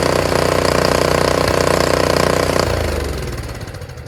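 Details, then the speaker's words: Free Honda HS520 snowblower after ultrasonic cleaning of varnished carburetor starts on first pull; small single runs with a crisp, even beat then winds down smoothly, sounding healthy, though fuel still leaks from the carb bowl. "Fantastic. Now I just got to see where that oil leak, that gas leak is coming from. How about it? That sounds fantastic, isn't it? First pull too."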